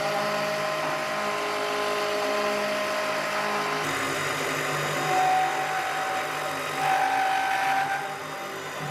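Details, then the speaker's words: Milling spindle on a heavy roughing helix-spiral cut into a hole (to 26 mm diameter): whine steps down in pitch partway and sags again near the end, losing almost 200 RPM under load; the cutter survived. "Did you hear how it broke down when it was doing that helix spiral in the hole? I could hear that it broke down almost 200 RPM, so I thought maybe the mill wouldn't last there, but that wasn't a problem."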